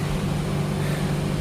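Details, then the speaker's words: Haier air conditioner that wasn't cooling, outdoor compressor previously not starting, tested with the outdoor unit opened: smooth constant low hum, no clicking or cutting out; outdoor unit now starts and runs normally. "好。现在我们看一下外机启不启动啊？开吧。好，来了。现在外机也启动"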